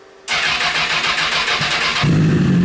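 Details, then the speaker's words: Rebuilt Honda CBR 1000 engine in a buggy after major cylinder damage; first start on possibly 3–4 month old fuel, headers smoking from WD-40. Brief crank, catches in about two seconds, steady even idle with no knocks; idling stronger than before. "yeah this thing sounds stronger it sounds like it's idling better it sounds like it's running better"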